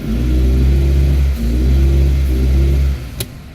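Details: Toyota RAV4 running rough, stalling, poor idle and no power, no check-engine light: revving petrol engine briefly cuts out and stumbles mid-rev, then drops away, due to an internally shorted ignition coil.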